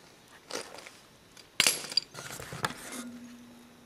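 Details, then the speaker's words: 1949 John Deere Model A two-cylinder tractor, clutch adjusted with a quarter turn on each linkage bolt: one sharp, firm snap as the lever goes over centre, amid handling clatter; clutch engaging properly. "pushing the lever back to disengage it and you can hear that click that's um what you should hear a nice snap as it engages and it's nice and firm there now"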